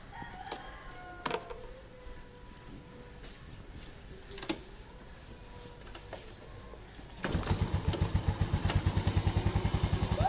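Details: Yamaha Lagenda 115 Fi with a history of hard starting and stalling at idle, started cold after adjustments: fires and settles straight into an even, steady thump with no stumbling or dying, roosters audible. Normal cold start.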